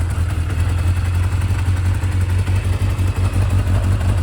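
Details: Kawasaki Zephyr 750 four-cylinder on new spark plugs, side covers off, electrical faults fixed, idles steady and even with a smooth throb, no knocks or misses; still needs an oil change; healthy, settled idle.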